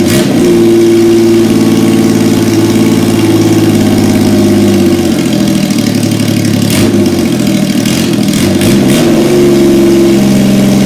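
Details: 1977 Yamaha XS750, first start after 30 years unused, with rebuilt carbs, velocity stacks, new throttle cable, fresh oil, plugs and resistors, auxiliary fuel tank: even idle, then pitch climbs and falls cleanly on throttle blips, no knocks; healthy.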